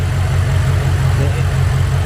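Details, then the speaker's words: BMW X6M engine, forged build rated 1200 hp capable, M5/M6 intercooler swap, first start-up, meth not yet hooked up, untuned: steady, even low rumble without misses, knocks or surging, engine not shaking; normal idle. "And look how clean she idle. Listen to this idle. Beautiful, beautiful, beautiful."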